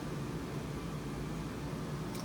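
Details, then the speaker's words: ICP Comfortmaker gas furnace after repair of multiple failures; steady low even burner rumble with soft blower hum, no rattles or bangs; up and running quietly, previously loud enough to hear firing up at night. "to deal with that but it's up and running and quiet won't keep him up at night"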